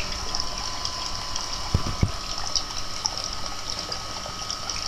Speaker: l'eau sécoule par le mur confirmation de la fuite avec l'quaphone donc effectivement nous avons une fuite à ce niveau